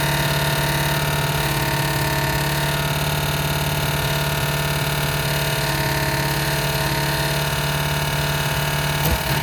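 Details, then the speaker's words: 1988 Ford Mustang GT 5.0 V8, carbureted, Duraspark distributor, factory headers, good oil pressure: steady loud idle with constant raspy rubbing rhythm about three per second; torque converter bolts or valve train suspected, unconfirmed. "It's obviously making a noise. It's like something's rubbing, like say converter bolts, or it could be something in the valve train."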